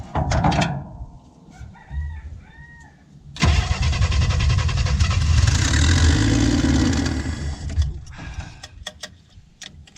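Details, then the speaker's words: 1967 Chevy II, already warm, with a known hard-start problem: short cranking bursts, fires, runs rough a few seconds and dies back; owner suspects a vacuum leak. "let's fire it up maybe not maybe it'll take a couple times let me uh pop that open"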